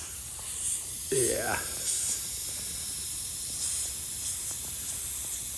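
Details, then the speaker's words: Brand-new Harbor Freight air hose reel, air turned on: continuous fairly loud steady hiss with no pulsing from air leaking at the swivel joint. This reel's leak is the milder one, from an internal O-ring. "You can already hear them. They leak right here. Actually, this one ain't too bad."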